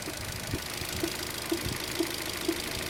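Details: Opel Zafira B 1.8 Z18XER 140 hp engine at idle: distinct knock about twice per second, evenly spaced over the hum; a knock inside the engine, source unknown.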